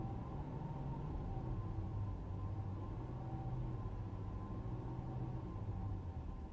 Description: 2015 Mercedes Benz S-Class S600 whining noise demonstrated whilst parked.